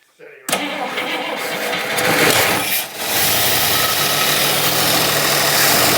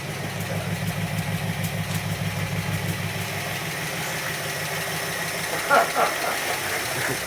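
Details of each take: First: Barn-find 1960s Bristol 408 with carbureted Chrysler 5.2 V8 and mechanical fuel pump, just started on a squirt of fuel: rough, uneven idle, said to be running on maybe six or seven cylinders; a misfire. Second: Barn-find 1960s Bristol 408 with Chrysler 5.2 V8, revived but not yet driven or cleaned: an even, low idle burble that settles cleanly; normal idle.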